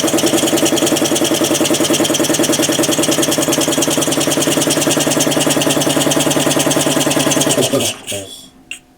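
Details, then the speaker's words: Home-built air compressor driven by a 3/4 hp motor, though the compressor wants 5 hp: fast steady chug near 200 per minute dying away with a hiss; pressure leaking past the piston rings, no check valve fitted. "hear that oh the pressure's leaking by the rings i need a check valve"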